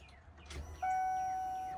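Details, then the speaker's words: 1997 Ford F-250 with 460 gasoline V8: at key-on a steady electric hum holds about a second as the fuel pump primes normally, just after the battery connection was sorted. "Oh, it's pumping."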